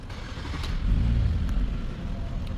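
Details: 2012 Hyundai Azera 3.0 V6, after a repair for P0300 random/multiple misfire: smooth, even idle with no stumble; codes cleared and none returned.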